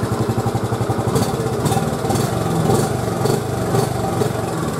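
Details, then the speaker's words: 1986 Honda TRX 70, air-cooled, after a top-end rebuild and new fuel lines, starting on first pull with a little throttle: a small single putters at a quick, even idle, quiet with no top-end knock. Throttle is responsive, no smoke; the carb may need adjustment. "let starts right up first pull motor sounds nice and quiet listen to it guys sounds really good"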